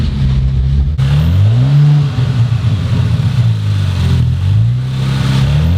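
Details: Rebuilt 2019 Audi RS5 in drive: deep engine note rises and falls smoothly as it is revved with the wheels turning, no knocks, grinding or clunks; running as it should. Normal running in gear.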